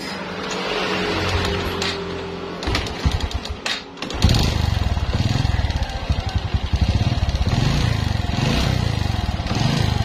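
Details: Honda Karisma motorcycle idling with a rough, rapid ticking from the cylinder block, typical of piston slap.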